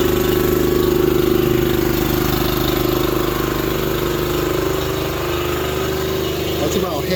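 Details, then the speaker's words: Honda GX240 engine on a manlift, cover on, electric choke, idling after replacing the very loud muffler: steady, even idle with smooth low drone, no harsh exhaust bark; quieter than before, sounds good and healthy. "as loud as it was I couldn't talk over it sounds good"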